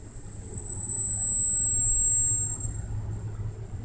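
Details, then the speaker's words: 2001 Buick LeSabre with P0442 evap leak and P1811 late shift codes, mic near the front just after shutdown: thin high squeal holds about two seconds, then fades over a low rumble; cause unknown, fans also squeak. "Well, that one was more subtle, but it's a louder squeal than that."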